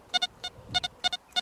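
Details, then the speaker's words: XP ORX metal detector ground-balanced at 77, below the shake value, making the coil very hot: erratic paired high beeps keep firing with no target, false signals from ground balance set too low. "You may think that's all well and good, but because this is ground balanced at 77, it means that we've gone below the shake value, which is, you've made the coil very hot."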